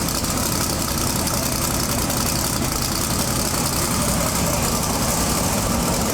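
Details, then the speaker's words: Twin-turbo big-block pro mod drag car with new Turbo 400 transmission, first fire-up after 2.5 years, now with coolant: loud, steady, fast idle holding flat; throttle probably resting on its stop, needs adjusting down. "sure sounds like it's hitting the stop so I think it's on the stop up here we just need to adjust"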